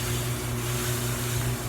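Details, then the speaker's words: GE front-load dryer after repair kit (drive belt, upper bearing assembly, four drum glides) installed: even low drone with scraping hiss, hum dropping out each turn; new rubbing at the glides, drum riding on them, bearing glide shows eccentric movement. "you hear that rubbing this didn't happen before and it's and it's coming right here where these glides are you can see it is writing on the glides"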